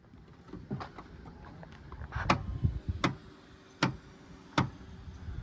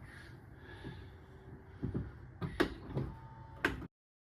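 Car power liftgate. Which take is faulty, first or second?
first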